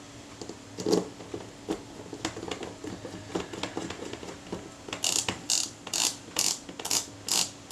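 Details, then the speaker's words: Kodak Retina IIa camera with corrosion being repaired, checking the film advance after reassembly; crisp, even ratcheting clicks with no catching, the first step of the shutter film advance working. "That's the first step of the shutter film advance."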